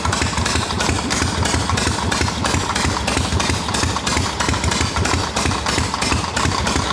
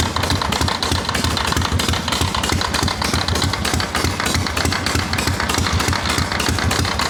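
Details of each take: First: Harley XLCH chopper V-twin, hot, after loosening an overtightened part that caused noise: steady, even loping idle about three pulses a second, no ticking or rattle; normal idle. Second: Harley XLCH chopper twin idling on the bench: steady idle with a repeating scraping beat, about three per second, following engine speed; something is rubbing inside the clutch, not present with the kicker fully down.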